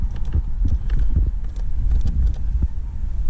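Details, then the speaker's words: 2003–2011 Honda Accord/Acura TL/TSX with AC blowing hot on one side: irregular low clunks behind the dash as the temperature is changed; the blend door motor tries but fails to move. "you hear that it wants to work but at the same time it doesn't want to work"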